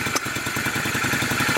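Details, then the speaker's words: Honda Shadow twin, bought broken, idling with pilot mixture screws closed all the way in: choppy, stumbling idle with irregular popping and hesitation, starved at idle; running badly before opening screws. "let's close it up all the way all right it's running like [ __ ] i'm give it"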